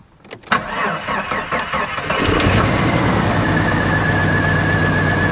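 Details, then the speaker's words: 1990 Jeep Cherokee XJ Renix 4.0 L, which knocked badly before, started after the flex plate was fixed: short crank, catches cleanly, smooth even idle without knocking; normal start and idle. "well that is a relief isn't it that engine is sounding a hell of a lot better than it did when I first started the vehicle up"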